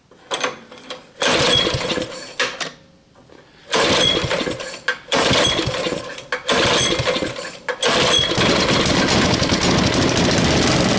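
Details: Tiller engine revived with a new carburetor, pull-started at half throttle and half choke: fires in rough bursts that cut out and restart, then runs unevenly, stumbling and stalling; bad carburetor, possible fuel issue suspected.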